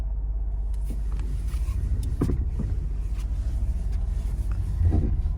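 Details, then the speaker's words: Lada Granta at standstill, idling with A/C on and idle speed hunting: low pulsing booming bursts while the steering wheel is turned, still present after toe adjustment and ground-strap repair; owner suspects the electric power steering motor. "Ну так же шума этот остался. Мне плевать, в принципе, если там ничего не клинет и это электроусилитель руля."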